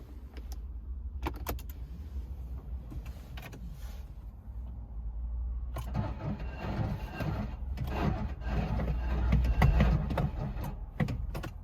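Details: 2013 Smart Fortwo 451 Brabus Xclusive petrol engine with a weak, lumpy idle that occasionally misses a beat while the rpm needle bounces, after intermittent starter run-on. Plugs, alternator, starter, injector or crank sensor are suspected.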